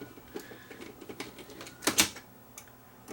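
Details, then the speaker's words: Sony DSR11 DVCAM video deck, bought on eBay, not accepting tape: irregular dry ticking and rattling over a faint whir with sharper clatters in fast forward and rewind; mechanical rattle, cause unknown. "see if I can spot what's making racket when it's put into fast forward and Rewind"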